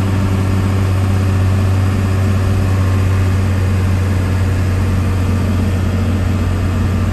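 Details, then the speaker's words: 1993 Dodge Ram W-350 4x4 with an intercooled 12-valve 5.9 Cummins diesel and 51k miles, climbing a hill under load: deep steady drone, with the automatic four-speed shifting through all gears without slipping or hard shifts. "we'll head up the hill so you can hear the 12-valve run as well as the automatic four-speed transmission go through all the gears you can hear for yourself how it doesn't slip or shift hard at all"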